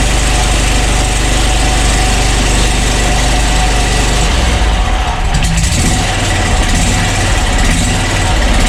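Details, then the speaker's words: Wright Stander ZK mower, about five years old, after replacing the starter and positive battery cable to cure slow, sporadic hard starts: quick crank catches straight away and settles into a steady, even idle; new starter fixed it. "so okay that's pretty impressive i like that all right so the new starter did the trick"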